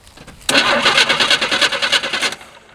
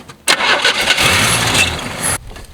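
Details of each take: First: Long-sitting 1978/1980 Chevy squarebody short bed truck being revived, temporary battery after fixing bad battery connections: starter kicks in and turns the engine over evenly and briskly for about two seconds without firing; normal cranking. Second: Long-sitting 1978/1980 Chevy squarebody truck on a temporary battery, after fixing bad battery connections: starter spins the engine steadily for about two seconds, stops without catching or firing.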